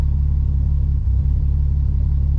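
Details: 1965 AMC Rambler American 440 driving on a rebuilt stock carburetor after a defective replacement carburetor poured fuel: deep, lumpy exhaust rumble that stumbles and drops beats, a cylinder missing; owner wonders if it needs another carburetor, cause unconfirmed.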